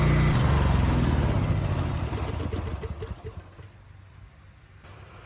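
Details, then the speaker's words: Generator HU40500G engine after a new generator head replaced one with a bad DPE winding; governor screw turned up slightly, about 61.5 Hz no-load, about 59 Hz under 3000 W load; steady, even drone; normal running. "good the engine sounds good and the power output is also good it was running a bit slow so I did turn up the governor screw just a little bit"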